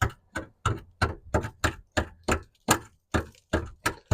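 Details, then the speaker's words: Light hammer taps on rust-flaking car body metal near the spare wheel housing, about three a second, each a dull dead thud instead of a solid ring; metal rusted through with holes and chunks coming off. "you can see there just a couple of little Taps and that noise that's not the noise you want to hear"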